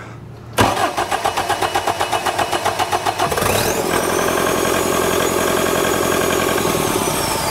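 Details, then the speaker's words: Bobcat T740 loader with D34 diesel engine, bottom end rebuilt after a bad crankshaft, that would not start; started by remote start box, it cranks about four beats a second for three seconds, then fires cleanly into a steady idle with a little smoke. "be much better much better that is awesome that is such a relief"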